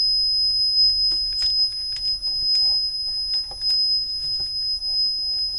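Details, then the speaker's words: Meta 12 V reverse parking sensor registration-plate frame tested on the bench before fitting: steady high-pitched tone beeping continuously under handling clicks, not working as hoped. Parking sensor constant beeping. "That's, I don't know, that doesn't sound good. I would have liked it to sort of do a bit more than just constantly beep."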